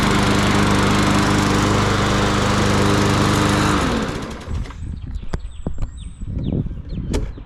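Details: Yard Machines 21" push mower, Briggs & Stratton 500E 140cc, sat all winter and wouldn't crank; after spring tune-up a strong, even drone at steady speed, then clean shutdown; normal running.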